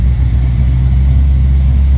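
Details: L98 V8 first fire-up: a deep, steady burble with an even beat and no misses or knocks, idling smoothly. Fuel pressure reads a little low; owner doubts the high oil-pressure gauge reading.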